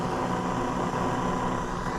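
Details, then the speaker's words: Ham radio shack audio setup with Focusrite Scarlett 4x4 interface and amplifier driven from a computer: steady low buzz with gritty hiss that rises with amplitude, ferrite beads didn't help; ground loop noise sourced from the computer. "I don't know if you can hear that but as soon as I get up an amplitude noise I hate noise and it looks like it the source is the computer"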